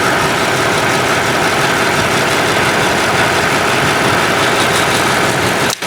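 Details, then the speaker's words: 2012 Lexus GX460 idling during scan-tool secondary air injection pump test: steady, even whooshing air rush, no rattle or tone change; test completed with no DTC found, pump working normally. "Alright, the test is complete. So press OK. And no DTC found. Alright, so this is how the secondary air injection pump works on this Lexus GX460 2012."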